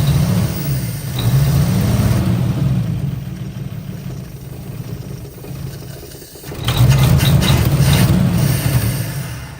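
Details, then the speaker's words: 1955 Chevy Two-Ten coupe parked 40 years: steady starter churning at about four turns a second, a few weak pops, no catch; cranks without starting. Owner suspects fuel pump not pumping. "our pump does not seem to be pumping got fuel rigged up to it even primed it uh tried running it off of starting fluid tried running it off of fuel poured directly on the carb"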